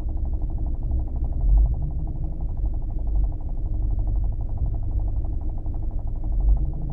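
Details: New Kia Optima at idle. A dull, rapid, regular knocking rides under the low engine hum at a steady pace; the official dealer claims the knock is a normal feature of the engine: engine knock.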